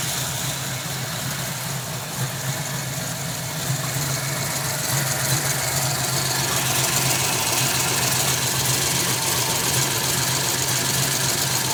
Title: 91 mustang misfire